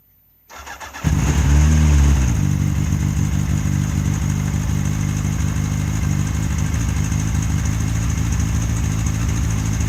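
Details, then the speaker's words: Honda CBR1000F Super Sport starting up after an oil change and settling to a high idle, with a light rapid timing chain tick over the exhaust. About 2,000 km since a supposed major service; the raised idle failed to stop the tick, and the owner hopes fresh oil fixes it. "When he got it back, it was ticking like a bitch, idled up high, which they've adjusted the idle to try and stop it ticking as much down at low RPM at idle, which didn't work."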